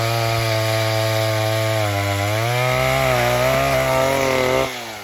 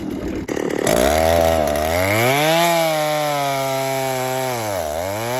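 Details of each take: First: 1960s Stihl 08S two-stroke chainsaw, about 60 cc, cutting firewood after over-rich high jet was eased back: strong clean tone dips only slightly in the cut and recovers smoothly; set really good, normal running under load. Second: Vintage 1960s Stihl 08S chainsaw, about 60 cc two-stroke, cutting firewood before fuel screw richened 1/8 turn; screams up and sags in cut, thin sharp revs at full throttle; owner thinks it needs more fuel; lean high-speed mixture.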